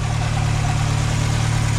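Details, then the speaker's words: Mk2 VW Jetta after new coolant hoses, having sat about five and a half months: even, smooth low idle with a regular pulse and no misses or knocks, coolant temp holding, no leaks; healthy idle. "took a minute to get started but also sat for like 5 and 1/2 months so it is what it is but again cool and temp holding perfectly we got a nice smooth idle up"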